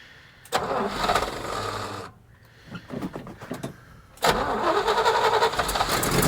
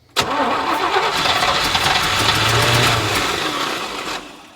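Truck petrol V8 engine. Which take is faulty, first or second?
second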